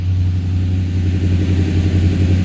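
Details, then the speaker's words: 1978 Ford Courier engine started cold after sitting a few weeks, fast idling with plenty of oil pressure and low temperature; smooth, steady low rumble with an even beat, no misses or knocks. Normal cold fast idle. "So we're just going to actually let her just sit here on hot idle for a bit. Plenty of oil pressure."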